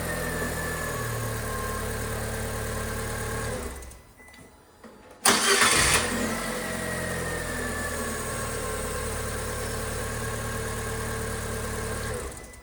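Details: Fiat 500 after fixing the startup squeak by lubricating or replacing the sticking starter Bendix drive. Engine running, a short gap, then a clean start and steady idle with no cranking squeak: starter healthy.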